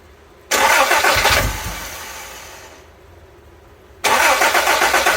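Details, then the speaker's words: 1984 Toyota Tercel SR5 wagon, distributor rotated to maximum advance: engine lurches into a loud, uneven run, sags and dies, then catches again; timing far too advanced. Hard start from over-advanced ignition timing. "the distributor is really far forward yeah the distributor is like Max forward right now"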